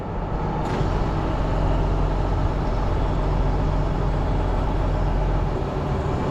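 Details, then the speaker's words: Tow and Fert Multi 1200 sprayer, aged, repaired worn seals and non-return valve, O-ring leak suspected, topped up with oil: even deep engine drone under steady load, no longer whiny; normal hydraulic operation. "sh sounds good with a bit more oil in it not so whiny but yeah perfect under to spray now"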